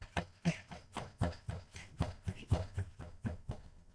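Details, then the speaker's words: 2010 Mazda 3 driving: loose, uneven hollow thuds about once a second from the rear seat cushion. The driver-side retainer clip broke when the cushion was pulled to reach the fuel pump; the fix is a new rear seat cushion lock latch (BP4K-57-529A). "When I did that, I unknowingly broke the driver side retainer clip that holds this back seat in. So now when I drive around"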